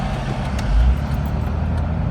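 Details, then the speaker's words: Car with a long-running rough idle and stalling at stops, after replacing the throttle position sensor. Low, steady rumble at a stop light with no surging or dips: normal idle. "let's see it stop light and go i like that idle speed that is good i like it"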